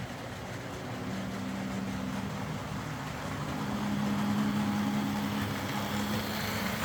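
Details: Old Hornby R751 Class 37 model locomotive after repair, wheels cleaned of corrosion with a rotary tool and brass brush, body refitted, on track: soft, steady low hum rising slightly as it picks up speed; normal motor running.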